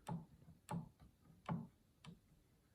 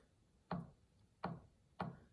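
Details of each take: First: Yamaha G5 piano action removed and on a table, keys at the less-worn end: soft, muffled thumps about once a second with hardly any click. Quiet, normal action, unlike the noisy keys near key 37. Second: Yamaha G5 piano action removed and on a table, keys including key 37 in a worn section: single dry click with short woody decay on each key release. Suspected jack regulation noise, not confirmed.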